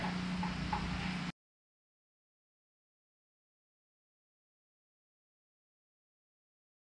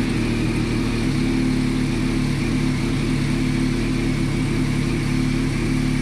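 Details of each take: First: 2020 bike: about two and a half seconds of steady starter cranking, roughly four pulses a second, never catches; owner suspects the fuel pump, just changed, since no prime was heard. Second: Reassembled motorcycle after fuel pump rebuild and battery charge, airbox not yet fitted: steady, even hum holding one pitch, no misses or knocks; now running, normal idle.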